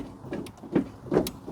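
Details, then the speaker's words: Smart ForTwo 451 after replacing a failed rear auto drum brake adjuster: three clunky clicks about every half second as the brake pedal is pumped, the adjuster ratcheting and calibrating normally. "I can I click click clicking so what are we doing calibrating it at the moment just making yeah basically yeah making sure it works"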